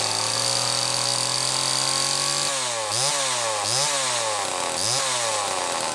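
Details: 1974 Homelite XL-2 chainsaw test run after air leak repair: two-stroke holds a steady high buzz, then three quick throttle blips rise and fall cleanly; runs healthy, though owner finds idle not quite right.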